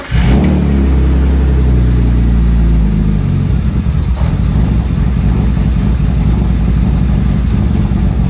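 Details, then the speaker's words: BMW E36 M3 cold start: engine catches, flares high, then drops and hunts unevenly; codes P1188 and P1189, owner suspects O2 sensors or injectors, unconfirmed; idle fluctuation on cold start. "the idle kind of fluctuates on a rough start I have a p1188 and p1189 code"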